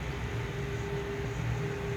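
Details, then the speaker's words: AMD gaming PC with an air cooler, CPU around 61°C while gaming: steady, loud droning rush of the fans with a constant mid hum; owner suspects wrong motherboard fan settings. "yes, my PC turned into a server as you can hear and is is loud, obnoxiously loud."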